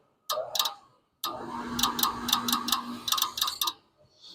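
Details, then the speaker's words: Concord furnace with the thermostat turned up: rapid bursts of sharp, dry clicking over a faint hum, affecting vent motor speed. A relay on the control board is chattering, likely from blower vibration breaking solder at the 12-pin connector. "all right this is a Concord furnace turned it on thermostat up listen to that here the clickity click it's affecting the speed of the vent motor"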